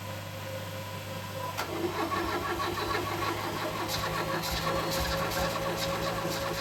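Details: Ford Escort Mk3 Cabriolet under restoration: steady starter churning with irregular catches of firing that never take hold. Cranks but won't start, came close to catching.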